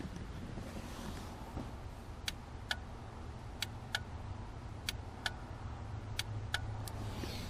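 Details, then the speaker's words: 2008 Ford Fusion with an inoperative horn, listening at the horn relay under the dash: about eight sharp, dry clicks as the horn pad is pressed, so the relay switches fine; normal horn relay clicking. "so every time I press on that horn pad the relay turns on just fine"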